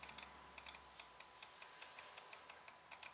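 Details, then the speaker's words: 2002 Mercedes ML320 with code P0400, EGR vacuum control solenoid powered directly with a power probe while grounded: sharp light clicks repeating at a brisk uneven pace, solenoid clicking normally; fault later found as a plugged EGR pipe. "so now I'm just going to give the power and uh and see if my if my solenoid clicks I'm not sure if you you guys can hear that but I can hear"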